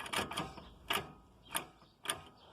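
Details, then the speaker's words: JAC J3 front wheel rocked by hand gives sharp little knocks from play in the worn inner CV tripod joint; the noise was heard when pulling away, a stabilizer link swap didn't cure it, and the tripod joint is being replaced. "esse barulho de paiva ó ó tá vendo ó ó e essa pancadinha que dá por conta da folga da trizeta ali"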